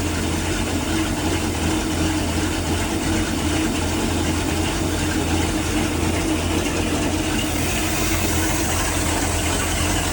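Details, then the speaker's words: 1996 34-ft Bayliner yacht, 5.7 V8 with ignition trouble: after replacing the distributor pickup it runs a steady, even low drone for ten seconds without stumbles, knocks or surges; normal idle after repair. "Well, there we go. Pickup in the distributor fixed it and it fires right up."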